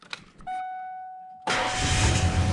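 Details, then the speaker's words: Ford Ranger prerunner after its starter was removed and its brushes cleaned, started in neutral: a steady starter whine for about a second, then the engine fires right up into a loud run; engine still runs rough. "hey cool still runs like garbage but it fires right up again"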